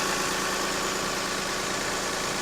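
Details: Lexus RX300 after alternator belt replacement and retensioning: steady even idle with smooth hum, no squeal or chirp from the new belt; engine sounds healthy.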